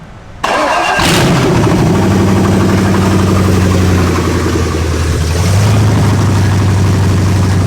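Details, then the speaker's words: 5.0 V8 swapped into a Ford Ranger, started again with a vacuum line reconnected after it idled really high. It catches and holds a fast, steady high idle; another vacuum leak is suspected but not confirmed. "oh we'll hook up this vacuum thing right here so it doesn't have a giant vacuum leak because it was idling really high okay check this out ready blake"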